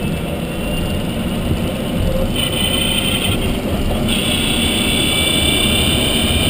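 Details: Renault Zoe Q210 electric car at 63,000 km, recorded while driving; a steady high-pitched whine over road and tyre noise, strengthening partway through, electric drive motor noise of unclear cause.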